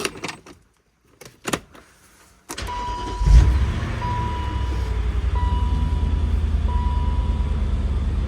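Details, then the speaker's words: BMW Z8 E52 after about 5 months stored, battery flat over winter but recovered: a short crank, instant firing and a smooth, even idle under a dash chime, valvetrain sounding good; possible rub from the fan or charger lead. "She couldn't be bothered less. Even the valve train sounds good. Usually S52s are kind of cranky when they've been let stand."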